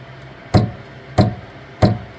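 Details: Saturn Ultra 4 16K resin printer after starting a print: platform keeps rising, three heavy evenly spaced knocks about two-thirds of a second apart before it resets and prints; Z-axis knocking noise.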